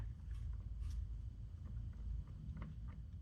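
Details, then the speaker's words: 2007 Jeep Grand Cherokee WK front driveshaft worked by hand: faint, sharp clicks over a low rumble from play in a worn CV joint, suspected cause of a clicking rattle underneath when coasting to a stop. "right there you can hear it click click and see that moving that's I think is what's causing my noise so what that means is this joint is wearing out"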